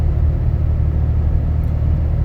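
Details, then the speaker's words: Inside cab of 2012 Dodge Ram 6.7L Cummins, fully deleted, 4-inch turboback exhaust, EGR delete, H&S Mini Max stock tune, windows up, climbing slight grade: only low even road rumble, no exhaust drone, almost whisper quiet. "So again, here I'm going to climb a slight grade. So and it's almost whisper quiet in here. I mean, it's amazing."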